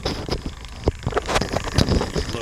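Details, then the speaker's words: CTI Cryogenics cryo engine assembly, Stirling-cycle cryocooler pump, powered at about 12 volts on the bench: irregular clunks and scraping bursts over a low hum, something bashing back and forth, changing when pushed; suspected worn, rubbing and knocking under load. "it down sounds like something rubbing hear thing sort of bashing back and forth goes away push on it I'm thinking this might be worn out"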